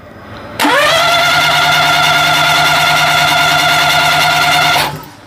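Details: 2000 or 2001 Daihatsu Hijet S210P, fuel-injected twin cam, cranking with plugs out: quick, even starter whirr with rising tone for about four seconds, never fires. Coils spark with new plugs but all plugs are wet; suspected dead injectors.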